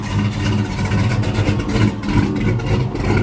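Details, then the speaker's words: LS-swapped Chevy S10 with full exhaust, just started on a warm day: deep, lumpy V8 idle with a steady loping beat and loud open exhaust, running evenly and healthy. "this truck be so mellow, man. It be so mellow when it's at idle, but when you get on it, boy, you can tell it got full exhaust out the back."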